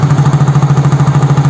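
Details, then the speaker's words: Yamaha Soul GT fuel-injected scooter (Mio J engine) with stalling complaint, warm at 80 °C: steady, even idle putter with no stumbles or misses; scanner shows barometer 102 kPa, normal idle around 1500–1600 rpm. "suhunya sudah 80 derajat suhu ideal putaran mesin motor injeksi itu rata-rata di 1500 sampai 16600"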